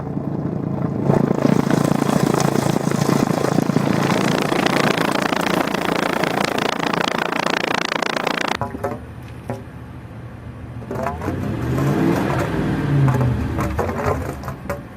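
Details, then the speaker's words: Car exhaust: rough bubbling, boiling-like gurgle, then engine revving up and down with a wavering note; water inside the exhaust suspected, not confirmed. "Esto suele ocurrir en tiempos de lluvia si has pasado por una fuerte inundación o por algún charco y ya sea derivado a la temperatura, el agua hierve o derivado al flujo de gases, el agua se perturba."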